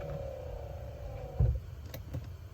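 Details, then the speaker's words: Triumph Stag passenger electric window run up from fully down, current checked with a clamp meter: about 5 A while moving, rising to 8–8.5 A at the top. A steady, even motor whine, then a thud as the glass stops; the window motor is healthy. "I'm gonna run the passenger window up. It's down currently."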